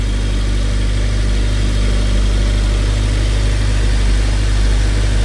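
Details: 2006 Honda Civic Si K20Z3 just fitted with Mercracing TVS-1900 supercharger, first startup: steady, even low rumble at idle with no misses, knocks or whine surges; runs healthy.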